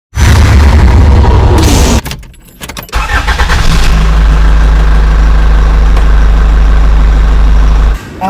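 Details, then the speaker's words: Chevrolet Tahoe V8 with a severe cylinder 4 misfire despite passing compression: rough, uneven chuffing and irregular stumbles after start; a valve not opening, attributed to a defective AFM (active fuel management) lifter. "chevret Taho severe engine misfiring do you know what is the cost of engine misfiring number four cylinder again engine B is not opening the reason was AFM or active fuel management by function in this case I couldn't say defective bu lifter"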